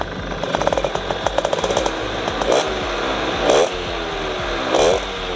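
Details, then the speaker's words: Cold Suzuki RC100 two-stroke, set for economical daily use: crackly blips in short bursts, revs hang and fall back sluggishly; still cold, so it won't rev out freely. "masih dingin yang Operet enggak bakal ngeloss"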